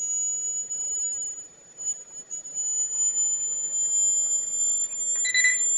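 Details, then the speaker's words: Homemade boiler for a miniature steam engine nearing steam pressure: thin, steady, very high whistle over a quiet background; owner suspects a poor seal around the valve letting steam escape. "They got a whistle going on. Come on. It's almost there. It's got a high pitch."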